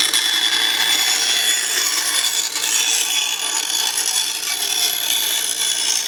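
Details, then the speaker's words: 1950s Atlas 10-inch band saw model 9360, after cleanup, maintenance tune-up and motor dust chute, test cut: even steady rasp through wood with no thumps or catching; runs smoothly. "well I'm really happy with how this turned out I'm so surprised with how smooth this all is man they sure don't make them like they used to"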